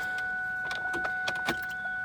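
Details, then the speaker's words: Ford SVT Terminator Cobra with a fueling problem, its fuel pumps priming with the tank not installed but held up in position: a steady mid-pitched electric hum with a few handling clicks; the pumps sound good. "tank isn't installed, but it's like up in position. I can hear them. They sound good. Yeah, they do sound good, don't they?"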